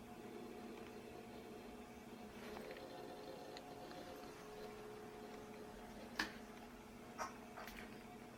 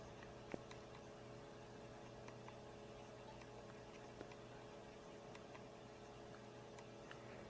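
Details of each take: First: Power Macintosh 6500/275 hard disk revived after being smacked, powered on again: steady low hum, faint even whir, light clicks; spinning up and working normally. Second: Power Macintosh 6500/275 failing to boot: faint irregular head ticks over a steady low hum with no spin-up whir; heads keep resetting to track zero while the hard disk platters do not spin.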